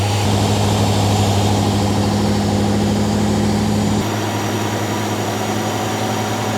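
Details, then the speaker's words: Garage-find Rover P6 3500 V8 running while the fuel blockage is traced: steady, even idle with a smooth low burble and no puffing or ticking; sounds all right, exhaust probably not blowing. "sounds all right does it yeah nothing coming out in the minute"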